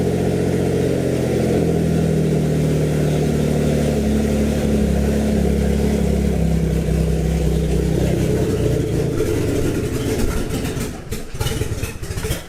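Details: Built Greddy twin-turbo (18G) G35, first start after fixing a fuel leak: catches, runs unevenly several seconds, then sags and dies. AFR climbs very high; running lean and stalling from low fuel pressure.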